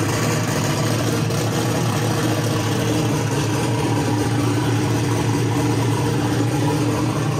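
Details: Ford Mustang with single-turbo LS-based L33 V8, first start-up after turning off the ignition timing offset: steady rumbling idle, even beat, no misfires or stumbles; known vacuum leaks remain.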